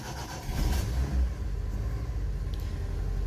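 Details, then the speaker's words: 1996 Daihatsu Zebra Astrea Jumbo van, 1300 cc SOHC 16-valve, carburettor and points ignition, government-maintained: short start-up surge then quiet even low rumble with no ticking or knocking; very smooth healthy idle. "Nih, ini mesinnya halus banget, nyaris tak terdengar, apalagi kalau dicek langsung, karena memang di video itu suaranya suka agak berubah dikit."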